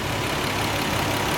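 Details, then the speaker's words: 1990 Nissan 300ZX twin turbo after part replacement to fix a misfire: steady, even idle with constant low rumble, no stumbles or the earlier hiccup; running smooth. "oh my lord let's see what she sound like man she sounds like she running smooth fellas"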